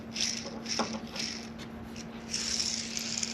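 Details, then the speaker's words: Old transmission bearing from a Caterpillar RD4 diesel crawler (1935–1940), spun by hand after removal during gearbox repair: gritty, crackling hiss in uneven bursts instead of a smooth whir, described as "crispy". Worn bearing, replaced with a new one. "There we go. There's our old bearing. Listen to that"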